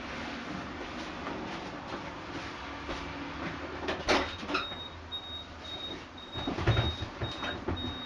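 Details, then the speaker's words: 1986 Chevy Sprint just fitted with a 1979-80 Datsun 210 carburetor on a custom spacer, vacuum lines reconnected: engine starts and settles into an even run with no misses or knocks under light revving; running smoothly. "yeah this puppy sounds like it's running really smoothly"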